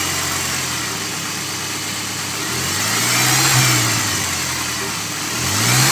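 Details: Honda S2000 petrol engine idling, then revving twice: a steady hum that rises in pitch with the revs. Humming or whining noise, cause unknown.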